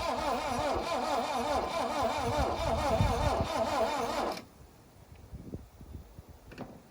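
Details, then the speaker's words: 1972 Plymouth Cricket (Hillman Avenger), sitting since 1989, battery weak after 6 months: starter turns the engine slowly and laboriously, under four beats a second, trying to fire but not catching. It has enough compression to fire. Slow cranking. "Okay, it's trying to. Battery doesn't sound real hot. It's been sitting for 6 months."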